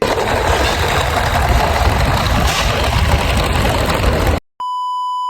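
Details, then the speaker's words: LG air conditioner indoor unit switched on with the unit opened: loud rough roaring rattle with heavy low rumble. "AC on చేసినాక AC నుంచి ఒకసారి sound వినండి friends, ఎట్లా వస్తుందో చాలా భయంకరంగా వస్తుంది చూడండి."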